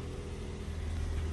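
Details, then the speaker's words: Toyota Vios NCP93 after replacing the fan belt, which chirped on morning starts: steady even idle hum with no squeal or chirp; belt noise gone, normal idle. "Alhamdulillah hilang bunyi. So settle masalah untuk belt"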